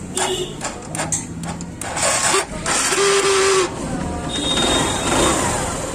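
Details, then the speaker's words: TVS Star City/Sport motorcycle self-starter cranking: short, uneven bursts of harsh whirring and grinding with a rough whine. The cause lies inside the starter motor. "यह शब्द का प्रकार हो रहा है। यह देखना। इस कदर यह शोर कर रहा है।"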